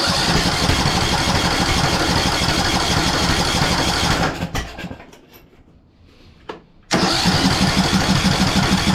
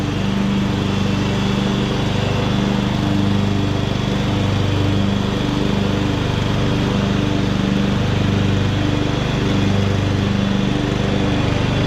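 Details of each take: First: 2014 Ariens (Husqvarna) 42-inch riding mower, first start with replacement flywheel: rough lumpy running about three firings a second, cuts out, sharp backfire pops; ignition timing off from flywheel keyway mismatch, owner first wondered about fuel or stuck valve. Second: 2014 Ariens (Husqvarna) 42-inch-cut riding mower, revived from scrapyard parts machine, cutting grass under load: steady, even single-cylinder drone with smooth beat holding speed, pulling well; healthy, only needs a couple of small things.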